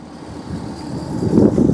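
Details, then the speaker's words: Tow truck with overheating transmission and slightly hot engine after towing, new aftermarket radiator, running with its newly replaced severe-duty fan clutch. Deep rushing air roar builds and surges as the fan pulls hard; clutch engaging normally. "So it sounds like a Boeing about to take off."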